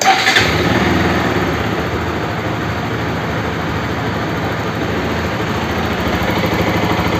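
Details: Bajaj RS200 single fires up and settles into an even, steady run, no knock or rattle standing out; normal idle and rev.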